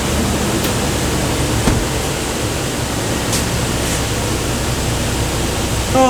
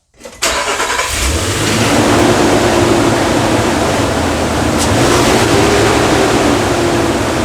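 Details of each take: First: 2013 Nissan Frontier 4.0L after replacing the noisy clutch fan with a new heavy-duty fan clutch: steady, even rush of air, the clutch disengaged and running quietly after initial noise; normal engine fan. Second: 2013 Nissan Frontier 4.0L at idle, a loud, steady whooshing roar sits over the idle from start to finish without easing off; the fan clutch is stuck engaged.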